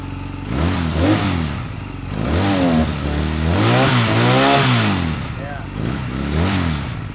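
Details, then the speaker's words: 2005 Honda Rebel 250, thought to be unrun for about ten years, running after new gas, new plugs and a cleaned carburetor: revs up and falls back in uneven surges, dipping when throttle is opened; hesitation on throttle, cause unknown. "there we go sounds pretty good it kind of dies a little bit when you give it throttle so I wonder"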